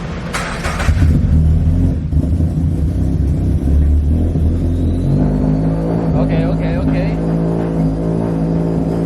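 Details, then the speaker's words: 2022 Subaru BRZ with replacement 5,000-mile FA24 engine and P&L turbo kit, after swapping the forgotten stock MAP sensor: even, steady idle with smooth low drone after a brief blip, no hunting; earlier rough rich idle (AFR ~10) fixed. "So far, so good. Yeah, it's normal. Yeah? Yeah, it sounds good, dude. It's running good."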